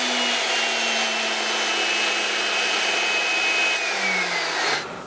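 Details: Delta 37-070 jointer motor, previously not running, after re-soldering connector legs, mounted in a chuck: smooth steady hum with clean high whine, spinning freely, coasting down at switch-off; repair works.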